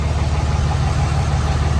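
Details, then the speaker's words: 2006 Dodge Cummins 2500 Megacab diesel, after an Edge CTS3 tuner, new injectors and a fuel injection pressure regulator fix: deep even idle with no knocks, misses or smoke. It previously dipped and stalled at idle. "no smoke coming out the exhaust idle idle seems good um yeah idle seems good"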